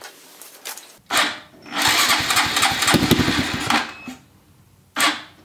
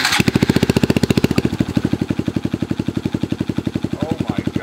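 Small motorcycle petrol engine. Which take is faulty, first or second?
first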